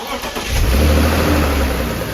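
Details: BMW E36 M3 engine catching and revving briefly with a sharp speed-linked tick from one cylinder area, not the belt or exhaust manifold; loose plug ticking.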